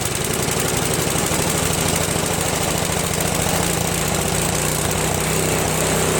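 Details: Craftsman snowblower, after a replacement gasket was fitted (not leaking) and the bottom carburetor screw was adjusted: a steady, even small-engine run with a fast, regular firing beat and no misses or surging; it runs clean.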